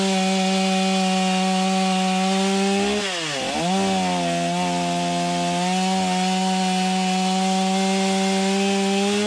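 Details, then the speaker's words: Stihl MS250 chainsaw after replacing crank bearings and seals, warmed up and cutting: high steady scream dips into the cut and recovers cleanly, without the previous grinding or rattle; healthy running. "Sounds good. Not hearing a bunch of noise like I was before I replaced the bearings."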